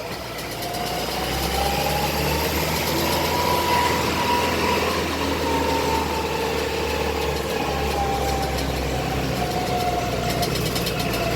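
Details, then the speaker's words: Modified Hino Dutro 4x4 double-axle diesel truck on test drive: wavering mid-pitched whine over steady diesel drone; transfer case noise, returning to workshop for transfer case readjustment or replacement. "Nah, itu noise dari transfer case. Jadi ini unit harus kita bawa pulang lagi ke workshop untuk dilakukan penyetelan ulang pada transfer case atau mengganti transfer case yang sudah tersedia atau yang sudah disetel."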